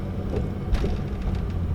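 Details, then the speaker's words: Daily-driver car driving down a street, with random misfires under acceleration: low road rumble with a single dull suspension thump over a bump from worn struts needing replacement. Worn strut noise. "you so I need struts you can hear the struts there guys"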